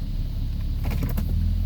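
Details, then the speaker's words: 2003 Jeep Grand Cherokee Laredo 4.0, about 106,000 miles, after idle air control valve replacement: starts right up and settles into a steady, even low-rumble idle, which should be about 800-900 rpm in neutral or park and 600-700 in gear, no misses or hunting. "so you can see how it starts up now perfect settles right down to the idle that's supposed to be about I 8 or 900 in neutral or in park and then in gear down to 6 700"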